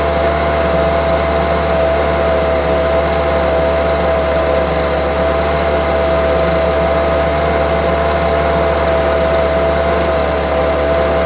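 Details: Homelite UT08572 string trimmer, small two-stroke, tested outside after repairs: even, steady idle at constant pitch with no hunting or misses, firmly running. Earlier it would not idle down; owner will check whether an old "tink" noise is gone. Normal idle.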